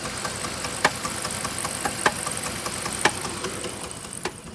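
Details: 3.7 liter V6 at steady idle: sharp knock roughly once a second with lighter ticks between; source unknown.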